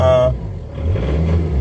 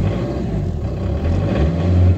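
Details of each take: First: 2006 Peugeot Partner with prior crank/no-start, about 191,000 mileage, after clearing BSI fault codes; engine catches and settles into a fast, steady idle with a low even drone, high revs while warming up. High idle when cold. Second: 2006 Peugeot Partner, about 191,000 miles, restarted after clearing BSI codes with a cheap OBD reader to fix crank/no-start, not yet warmed up: steady drone swelling and dipping every couple of seconds; high, hunting idle, cause unconfirmed.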